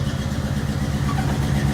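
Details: 1983 Chevy K20 truck with a cammed 305 V8 and carburetor, idling cold on choke after a suspected carb vacuum leak was fixed: choppy, loping idle with a strong rhythmic cam lope, holding steady without stumbling. Healthy.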